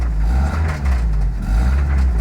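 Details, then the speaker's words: 1991 Toyota Celica GTS that had sat for months: steady low idle drone with faint uneven undertone, smoking a little; owner says not rods or crank, suspects a loose water pump. "that's the weird sound I was hearing like it's not rods it's not crank it's it sounds like the water pump but it is running"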